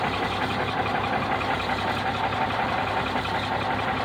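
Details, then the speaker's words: 1965 Mack B61 dump truck diesel, first start, idling with about 60 psi air and 50–60 psi oil pressure: steady, slightly rough, even clatter with no stumbling; sounds really good, possibly a few air leaks. "Sounds really good. I couldn't be more tickled to death right now."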